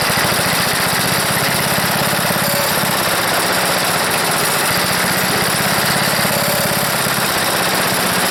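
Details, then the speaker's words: Wood chipper's small single-cylinder engine, smoking and leaking, no air filter: uneven lumpy chugging at idle with pitch wobble; owner suspects a bad float and needs a carburetor cleanup. Rough running. "this whole beast it's a smoker but it runs and i think i need a carburetor cleanup"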